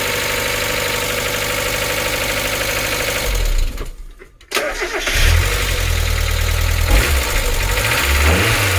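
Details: NA Miata 1.8L first start after cleaning and reinstalling the hydraulic lifters: loud, fast diesel-like ticking from the top end, engine stopped and restarted, plus a quick throttle blip; lifters still clattering.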